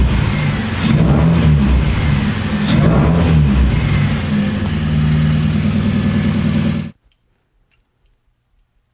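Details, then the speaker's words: Project car running again after revising the ignition to coil-on-plug: it picks up cleanly on each blip, settles back smoothly with even firing, then shuts off, a healthy-sounding engine. "so yay hooray we have a running engine again"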